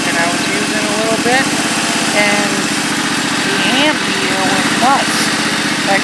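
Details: Husqvarna YTH1342XP 13 HP riding mower, carburetor untouched, after replacing the EPO switch and finding the PTO clutch bad with a seized bearing: smooth, even engine drone with no misses, knocks or dragging. Normal running.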